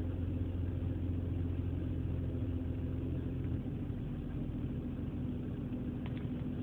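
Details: BMW E46 on a cold morning: low idle rumble with uneven, lumpy beat stumbling every so often instead of running smooth; cold-idle misfire.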